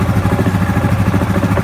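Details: Yamaha Grizzly 700 ATV at idle: rapid uneven knock riding over the engine beat from the CVT (variator) side; exact source not yet found.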